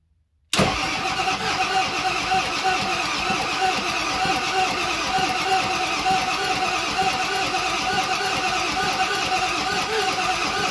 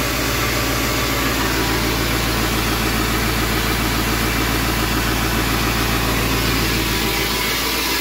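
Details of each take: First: 7.3 Powerstroke (Navistar T444E) turbo diesel, stored in a crate almost 2 years, first start attempt, in gear with no driveshafts: even cranking for ten seconds, some smoke, never fires; test light finds no power at either glow plug terminal. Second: 7.3 Powerstroke (Navistar T444E) turbo diesel, running again after almost 2 years stored: even, steady diesel idle clatter with no misses, knocks or hunting; normal idle.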